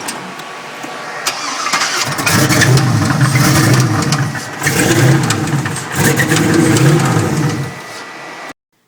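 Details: 84 C10 with a turbo LS V8: starts and revs in two swells, with sharp ticking under the exhaust from a rod knock. The engine is going back in for repair.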